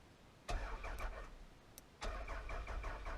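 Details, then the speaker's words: 1999 Toyota Solara automatic, hot-wired: two short bursts of steady starter cranking, never fires; no fuel pump heard and fuel gauge on empty, so owner suspects it is out of gas. "of course it's probably out of gas i didn't hear a fuel pump looking at the gauge there she says she's on empty so it probably is"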